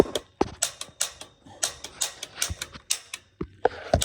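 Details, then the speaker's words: Six-year-old Pro Line PCG-75 commercial boiler, pilot plunger not depressed: sharp dry ticks roughly three a second, slightly uneven, in a quiet room; pilot igniter sparking normally. "Without depressing the plunger, let me just show you that spark. You ready? All right, you see that spark down in there?"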